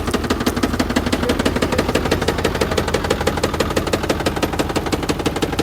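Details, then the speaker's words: Ford Power Stroke diesel Super Duty truck with about 10,000 miles (year stated as both 2024 and 2020): a hard, even knock about three times a second over the idle, steady and pronounced; engine knock, cause not pinned down. "2024 with 10,000 miles, and this is what she sounds like. Is this how my Power Stroke's supposed to sound like? Yep. A 2020 Ford Super Duty truck with only 10,000 miles, and the engine sounds terrible."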